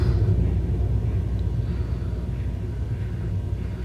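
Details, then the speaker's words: Hartke HD150 bass combo amp makes a low, steady, furnace-like rumble inside the amp. It persists even at reduced volume with the EQ down; a noisy power amp is suspected. "do you hear something sounds like a furnace inside the amp can you believe that very annoying"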